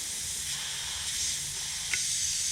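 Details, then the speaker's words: 1969 Chevy Nova heater core pressure-tested with about 20 psi of air, engine off: a steady high hiss of escaping air that changes as the probe moves. The core leaks, suspected on the back side or at a seam. "they can see i think i think it's right in this area here on the back side and hear the sound change let's try from here i don't think it's well it could be that seam right there too"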